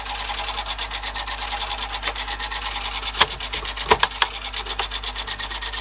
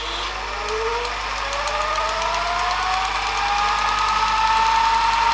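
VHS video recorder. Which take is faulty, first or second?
first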